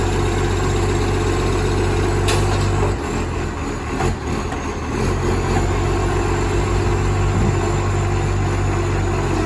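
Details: Moreland Garbage spare truck #FN11487, 22m flat-faced Acco cab, recorded early morning from the exhaust side at idle: loud, raspy deep rumble with coarse chuffing, mistakable for a Euro 3 and insanely loud in person; massive exhaust leak.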